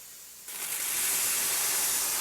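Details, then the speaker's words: Traditional stovetop pressure canner before the weight is put on: sudden steady, even hiss of steam without sputter during the 10-minute venting stage; normal venting. "this is the stage that we would set the canner and let it vent for 10 minutes"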